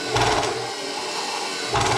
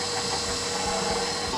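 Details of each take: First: KitchenAid Professional 600 stand mixer with the top cover off, running while the motion is restricted by hand: rough grinding clatter that bogs, surges and stalls, with a wobble and no drive under load. Stripped worm gear follower in the gearbox. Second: KitchenAid Professional 600 stand mixer just reassembled after replacing the worm gear follower, which had caused gearbox grinding and a paddle that would not turn: short steady motor whir with even gear whine, no clunks or skipping. Normal running.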